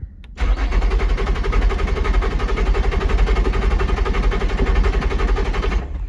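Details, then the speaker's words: Salvage-auction car, supposedly supercharged, push-button start: starter spins the engine briskly and evenly for about five seconds but it never catches. Crank-no-start, cause unconfirmed (suspected crash fuel shut-off or something else); sounds healthy. "Dang, spinning over but not starting. Most likely it's got a fuel shut off or something like that, just in case it gets in an accident."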